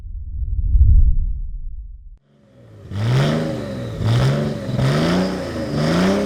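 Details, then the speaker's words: Mercedes S210 with OM606 diesel, freshly fitted Maxpeedingrods HX35 turbo and large intercooler, after three years unused: after a rev, rising whooshing chirps repeat about once a second on throttle close; compressor surge from deliberately restricted boost intake. "Bon là, tu peux voir pour que ça fasse un peu le bruit de turbo, je suis obligé de de légèrement boucher la suralimentation pour qu'il y ait de la surale et que ça fasse l'effet surge."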